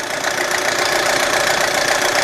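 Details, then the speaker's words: 2007 Audi A4, cold idle, oil pressure under 25 psi, low/uneven compression: busy rattling tap buried in the engine noise; knock with very low oil pressure, cause not yet known. "You can hear the engine is quite noisy. So anyway, it's got very low oil pressure."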